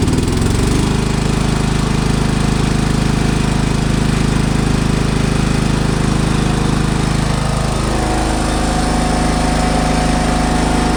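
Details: Kawasaki FB460V small engine, after years on ethanol gas, suspected carbon fouling treated with new plug and a bottle of Seafoam: strong steady chugging at constant pace, no sputter or misfire; runs cleanly, sounds really good.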